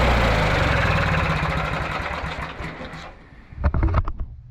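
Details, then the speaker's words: Riding mower, a no-start customer machine, running after a paint-can lid was welded over its blown-out muffler: steady beat, then winds down to a stop with a couple of clunks; runs cleanly with no misfire, though it still needs a solenoid. "I think she's fixed. She said it won't work, but it did."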